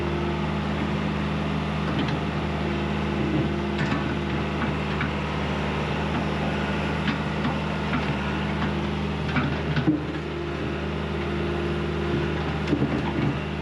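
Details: John Deere 190E excavator diesel with 7,706 hours on the meter, just after the manual throttle was tightened so it won't creep, on a digging test: a steady, even low drone with no knocks or misses, running smooth and healthy.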